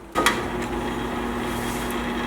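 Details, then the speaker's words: Box fan switched on from the back: a click, then a steady low electrical hum with no blade rush, as the motor runs but the blades don't turn; a thorough cleaning and lubrication is thought to be needed for the seized bearings. "And as you can hear that motor going, but as you can see, our blades aren't turning."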